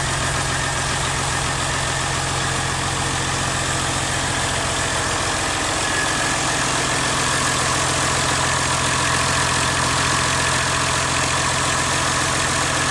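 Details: CAT C13 diesel after rebuild: steady, even idle with a smooth, regular beat and no knocks or ticking; normal idle.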